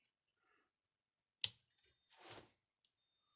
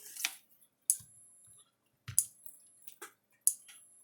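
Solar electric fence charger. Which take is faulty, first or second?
second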